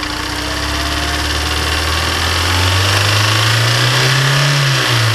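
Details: Honda S2000 engine, warm startup: quick regular ticking knock rising with revs, first thought rod knock; teardown found failed oil squirter in cylinder 1 warped the cylinder, scraping up the piston — piston slap from scored cylinder.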